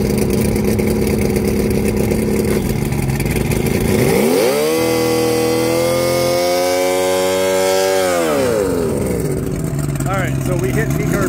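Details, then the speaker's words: Mercury 150hp outboard on a dyno, opened to full throttle to seek peak RPM: climbs from a lumpy idle to a steady, flat-sounding high wail, making only about 115 hp. Compression is 120 psi on all six. Plugs on cylinders 3 and 5 show premature wear. Carbs 1 and 2 smoke when stopped. Cause unknown, maybe bad reeds or wear. "there but we're still developing about 115 horsepower we need to figure this bad boy out"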